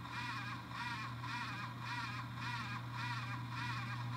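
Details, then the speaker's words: X570 AMD motherboard chipset fan, board owned a long time, developed an annoying raspy warbling grind pulsing almost twice a second over a low hum; worn chipset fan, fixed by replacing the fan. "then eventually it started making this weird freaking grinding noise that was so annoying take a listen"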